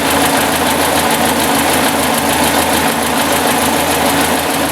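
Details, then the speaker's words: 1956 Ford NAA tractor, 134ci four-cylinder, just after Pertronix 1244A electronic ignition conversion replacing points, out of gear: loud, steady low idle with even beat, no stumbling or bogging; timing good, idling smoothly. "Timing sounds good too. No bogging. Nice smooth idle."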